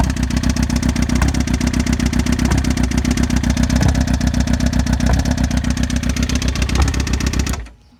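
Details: 2007 Suzuki GSX-R600 idling with a loud, steady abnormal ticking about four times a second and a gurgling exhaust, which started suddenly at 55 mph; cause unknown, then engine shuts off.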